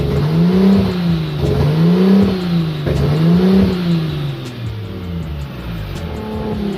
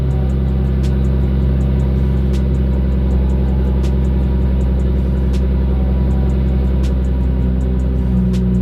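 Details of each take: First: Nissan RB25 Neo with a high idle problem: idle hunts up and down about every second, tone swelling and dropping steadily; surging suspected from an unmetered vacuum leak, not confirmed. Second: Nissan RB25 NEO engine just after the throttle plate was closed a lot more to fix its high idle: it now has a smooth, steady low idle with a faint, regular light tick. Normal idle.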